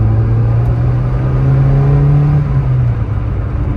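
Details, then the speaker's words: 1991 Saab 900 Carlsson turbo, restored, red box APC, driving under hard acceleration: engine note climbs strongly under load, eases at the shift, no hesitation or rattle; boosts nicely, healthy turbo acceleration. "Boosts really nicely. Boost gauge all works."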